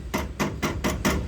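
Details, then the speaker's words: Fiat Palio front right wheel: worn CV joint splines with play inside the joint, the softer part wearing internally. Five sharp metallic clunks, about four a second, as the axle is worked back and forth. Can be mistaken for ball joint or tie rod noise. "é o semieixo com folga né como o material daqui é menos é duro Esse aqui é mais duro né do semi então a desgaste fica interno por isso que dá essa folga esse barulho aí"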